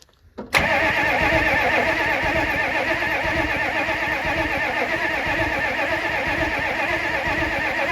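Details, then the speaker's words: Ford F-350 diesel sitting 19 years, cranked while watching for fuel flow; steady, even cranking for several seconds, never firing, and no fuel flows. Crank, no start; owner suspects no fuel and a needed lift pump. "Nothing. Not looking too good."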